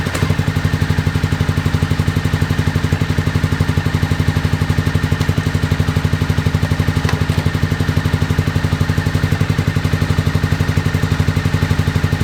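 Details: 2001 Honda VFR Interceptor V4 after nearly a decade in a barn, old fuel, FI light on; pipe heat test suggests cylinders 1, 2 and 4 dead, only number 3 firing. Steady loping beat around four per second, no smooth overlap: misfire.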